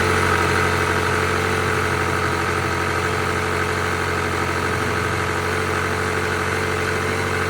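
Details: 1986 Honda Spree two-stroke scooter, bought cheap, carb ultrasonically cleaned, needing fuel filter, tank and line cleaning: fast, even putter holding a steady idle without stumbling or dying; normal idle.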